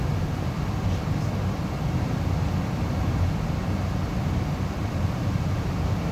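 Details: Amana 95 IIQ two-stage variable-speed gas furnace after burner shutdown: steady low air whoosh and even fan rumble, no burner roar, as the blower runs on cooling the heat exchanger and slowly, smoothly turns off; normal run-on.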